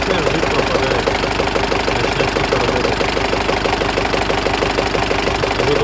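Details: Turbo diesel idling during warm-up, coolant about 60–65 °C, oil pressure about 2.2–2.3 kg (4 cold): steady knock about three times a second over the clatter; engine knock present for about 1000 km, cause unclear.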